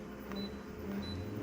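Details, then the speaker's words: Konica Minolta scanner: over a low machine hum, a thin high squeak chirps about every half second while scanning, alongside a low-pitched squeak. The noise gets louder, and its source is not pinned down. "Hear that? That sound. It's not a good sound, folks. Sorry. Konica Minolta."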